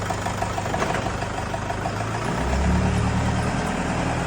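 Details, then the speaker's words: Vehicle with reported vibration and clicking, wheels spun up in gear through first to third during a shop check of a suspected rear diff problem; even drivetrain hum rising smoothly, no clicking, whine or grinding from the rear axle; normal rear differential. "Sabi mo, may problema yung rear diff? Yung differential? Wala."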